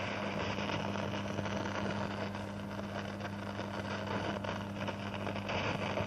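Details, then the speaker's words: Ahuja 4040S cassette deck amplifier: steady low hum with constant hiss from both speakers, slightly louder in one, staying on even with volume turned fully down; cause of the noise unknown. "यह speaker में से देखो तो कि ऐसी आवाज़ आती है उसका वॉल्यूम बंद है अभी देखो कर दो कि के बावजूद चालू रहती है"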